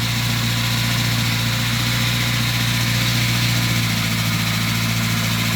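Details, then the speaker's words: Renault 5 GT Turbo in a garage, just restarted after its carburetor was repaired and refitted: steady, even idle held slightly high on the now more sensitive choke, with no stumble or misfire. It is the best it has ever run. Normal idle. "oh look at that that is the best it's ever run and it fired straight back up"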